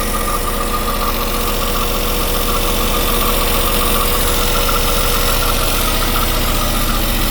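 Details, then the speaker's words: Westerbeke marine diesel generator, slowly overheating after 45+ minutes, after a flush, warm after a long run, phone held near the engine: smooth, even beat at steady speed, no knocking or hunting; not yet super hot, and it should shut down before overheating. "Doesn't feel really getting warm, but she doesn't feel super hot. She'll shut down before she gets too hot."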